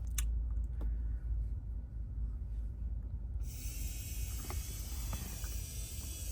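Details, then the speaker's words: Infiniti Q50 with no-start: fuel pump commanded on and off via scan tool actuation test; quiet rumble, then steady high-pitched whine switches on sharply and holds, so pump works normally despite suspected failure; pump to be replaced. "what I just did there is I turned the fuel pump on and off so fuel pump relay off if I hit on you're going to see the fuel pump just turned on"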